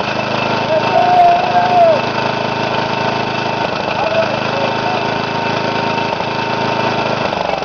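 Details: Briggs & Stratton single-cylinder mower engine, first run after rebuild with new piston rings and gaskets; ran too fast until governor was readjusted, now a steady even drone with no surging or misses; running smoothly.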